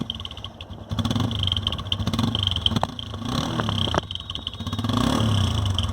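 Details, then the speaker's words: TVS Apache RTR 160 single-cylinder bike running with an uneven, fluttering putter in the exhaust note that wavers as it runs, from a partly blocked silencer outlet; often mistaken for an engine problem. "थोड़ा सा इसके अंदर पिटपिटाहट की आवाज़ है, जिससे ये आवाज़ चेंज हो रही है।"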